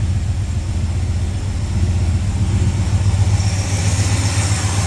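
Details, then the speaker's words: Ford Falcon V8 on a Sniper fuel setup, cold start after swapping plug wires 7 and 8, which were on the wrong way. Low, even burble idling about 1,000 rpm with no misses, still smoky but smoke lessening; smooth, healthy idle. "Oh, that sounds good. What's that idling at? 1,000, not bad for a cold start."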